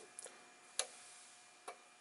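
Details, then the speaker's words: Array 3711A 300W DC electronic load powering up, connected to a bench supply set near 25 V: three sharp relay clicks about a second apart. Two relays switch measurement ranges and one cuts the output via a MOSFET bank; normal operation. "not sure if you heard but you did you can probably hear the relay clicking and as I mentioned in my previous teardown video there were three relays in there two were there for switching the measurement ranges and the one is there for cutting off the output via a bank of MOSFET"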